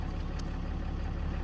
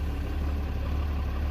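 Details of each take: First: RAM 3500 diesel idling after fuel filter replacement, after cycling the key to prime the filter housing; steady, even low diesel rumble with no stumble or surging once all air is purged. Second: Ram 3500 diesel just after replacing fuel filters and priming by key cycling: deep idle with slightly loping uneven beat as the filter housing still purges air, then levels out; uneven idle from air in fuel.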